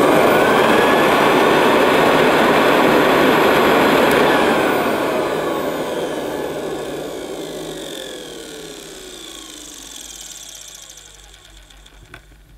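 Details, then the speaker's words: 1973 Hoover Senior vacuum, motor hood off, agitator removed, suppressor still fitted: high thin squeal over the motor whir, dropping in pitch on coast-down; squeak comes from the motor, likely the top bearing, owner hopes it goes once warmed up. "she's a bit squeaky isn't she i'm not sure where well she's a bit squeaky that might go after she's warmed up a bit um it's got to be the motor because the agitator isn't actually in so the squeak is coming from the motor"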